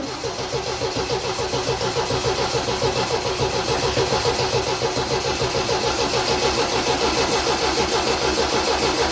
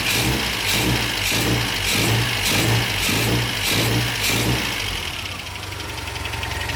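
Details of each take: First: MGB after restoration, first start with the new exhaust, fuel pump primed and carburettors pumped: a steady starter churn at about 3.5 pulses a second for 11 seconds. The engine never catches, a long crank with no start. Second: MGB after restoration, idling on the new exhaust while the header heat wrap burns off: a steady idle with an even low pulse just under two beats a second. Runs beautifully, just as before.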